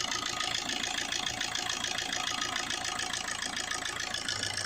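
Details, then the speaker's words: 2007 Suzuki Swift diesel, idle at 850 rpm with rail pressure at 28,000: even diesel clatter at a steady idle with no hunting or missed beats. Normal idle. "और engine idol speed भी देखो जितना चाहिए उतना ही है। 850 बराबर।"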